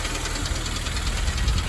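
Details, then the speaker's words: 2008 Honda Civic Si, K20Z3, six-speed, 100,000 miles, idling: steady quick clacking over a low idle rumble, intermittent; owner feared rod knock but oil is clean with no shavings, suspects valvetrain; source unconfirmed. "s and you hear that noise it clacking i afraid the rod noise but uh i checked the oil the oil very clear no shaving or anything so i think it's a head like you know the vowel or the lma make noise guys"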